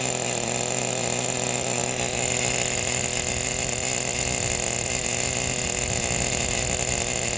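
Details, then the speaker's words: Brand-new Traxxas Pro 15 nitro engine with new bearings and an OS LC3 glow plug, in an RC10GT about 10 minutes into first-start break-in, idle set high: high, buzzy, fast, even idle with no sagging or stumbling. Runs clean. "Listen to me babble on and listen to this thing idle. What a sweetheart. What a nice little motor."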